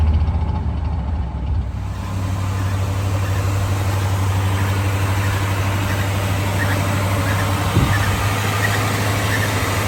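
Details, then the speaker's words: 1973 Chevy C20 V8 after an oil change, new fuel filter and new spark plugs, restarted while listening to the fuel pump. Low steady idle with a slightly uneven beat, running better than before but still lumpy. "Seems like it's running a little bit better now. That's idling better."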